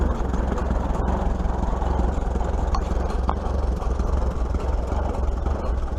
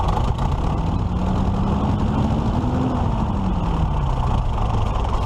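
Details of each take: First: 1941 Case SC tractor after governor repair, tested on a hill. Low, steady, even firing with no hunting or surging. It picks up going uphill and no longer bogs when the clutch is thrown, running much better: normal running. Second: 1941 Case SC tractor before governor repair, governor linkage freshly adjusted: engine note climbs for about three seconds then sags, creeping toward wide-open throttle instead of returning to idle; fault suspected inside the governor.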